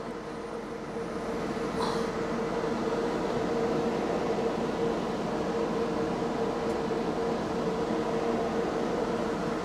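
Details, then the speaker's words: Jaguar XK cooling fan commanded to 100% with a Launch scan tool: it spools up over a second or two to a loud, steady rushing roar with an even hum. Normal cooling fan operation at full speed. "Let's put it on 100%, see how loud it gets. Right, 100%, here we go. Wow."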